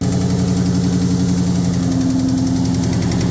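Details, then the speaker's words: 2003 SVT Cobra with new fully forged engine, first startup: light quick tapping about four per second over steady idle; theory is unpumped lash adjuster, after which a cam follower fell off. "When I got around to the engine bay, you could kind of hear a light tapping, like tap, tap, tap, tap, tap, tap, tap, tap."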